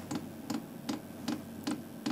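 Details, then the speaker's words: HCALORY 5-8 kW diesel heater starting from a Bluetti AC180 power station through a 250 W AC-to-DC transformer, drawing about 110-210 W; crisp even dosing fuel pump ticks about 2.5 per second over faint hum, normal priming. "so hopefully here in a few seconds you'll be able to hear the diesel heater start clicking get that fuel pump going"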